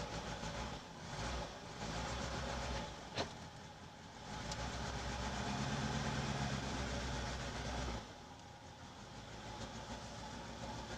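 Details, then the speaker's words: Lada VAZ-2106 carburettor engine on petrol, recorded from inside with the window open: uneven, stumbling, surging idle, worse with choke pulled; owner suspects float chamber overfilling from debris under the needle seat after long LPG use. "Когда подсос вытягиваю, машина начинает еще хуже работать. Так что я думаю, что просто переливает поплавковая камера."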